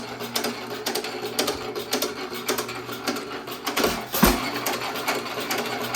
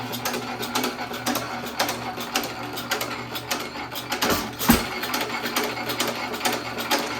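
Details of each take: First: 1917 Economy hit-and-miss engine after piston/rod swap, mixture leaned until virtually no smoke: crisp even firing about two per second with coasting gaps, runs better; normal hit-and-miss running. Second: 1917 Economy hit-and-miss engine after piston and rod swap, mixture being leaned for less smoke: light uneven clicking with occasional firing thumps, about two a second, intake double sucking means mixture leaned too far; lean mixture.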